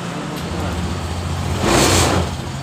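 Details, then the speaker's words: Honda Genio scooter that died suddenly while riding, idling after repair with fuel pressure a normal 42 psi: steady even low hum that swells briefly and settles; running normally. "hidupkan tegangan normal berada di 40 BSI itu masih dalam keadaan normal"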